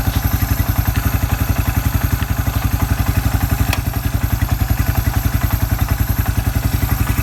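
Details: Suzuki Quad Runner 250 under restoration, exhaust refitted and new TC crank oil seal, tested through reverse and low and high range: steady thump about 220 pulses a minute, even clatter, no grinding; transmission and exhaust sound right.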